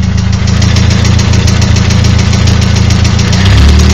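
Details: Nissan SR20DET at low idle: rapid even ticking knock about four per second, disappears at 1250–1500 rpm; new rocker arms and lifters, fresh Mobil 1 5W30, cams inspected OK, coils tested; owner suspects VCT gear, unconfirmed.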